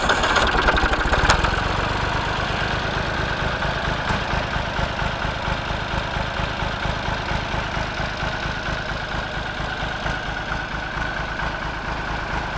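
Steady low chugging idle at an even beat with no knocks or misses; this old tractor engine runs fine.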